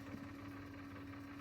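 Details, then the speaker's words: Sony TC-K777 cassette deck, restored (failed transistor replaced, reel motor adjustment fixed per service manual): fast forward at good speed with a smooth steady hum, slight bumping from loose plastic reel pieces; no more right-reel stops, normal. "Good speed. You see, it bumps up and down a little bit, because those plastic pieces, they are sit tight, but they are not fixed on top of the reels."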